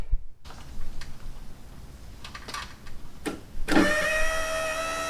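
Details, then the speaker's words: Nissan D21 Hardbody drift truck, newly fitted Walbro 255 fuel pump replacing a dead AEM pump: electric buzz rises to a steady even whine with no stutter; fuel pump priming properly. "so I already primed it but you can hear it works"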